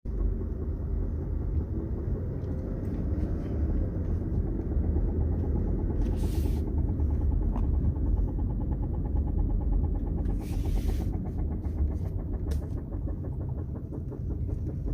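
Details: Dodge Charger driving: deep rumbling drive noise with fast, uneven thumping/knocking, suspected driveshaft with loose bearings, not confirmed.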